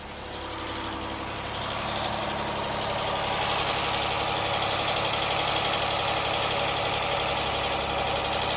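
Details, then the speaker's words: Jeep after rocker arm and lifter repair for ticking, codes reset, fully warmed up: steady, smooth idle hum with no ticking or tapping from the top end; normal idle. "I don't hear any ticking. Alright, this is how it sounds now. It's all warmed up."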